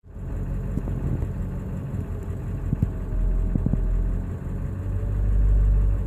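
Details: 2000 Ford 7.3L diesel idling rough with lumpy rumble, scattered knocks and speed swells, worst when coming to a stop; ICP sensor changed, IDM swapped with no change, oil and fuel filter just changed.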